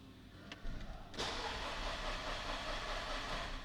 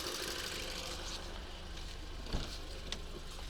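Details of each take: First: 2008 Škoda Octavia 2.0 FSI after new plugs, fuel pressure regulator replacement and adaptation (compression 11 atm in all cylinders): it cranks, catches and runs ragged with no steady beat, cylinders 2 and 3 misfiring from a failed ignition coil. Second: 2008 Škoda Octavia 2.0 FSI at idle after new spark plugs, a new fuel pressure regulator with adaptation, and a coil swap curing cylinder 2-3 misfires: quiet, smooth, even idle with no stumble or ticking; engine running fine.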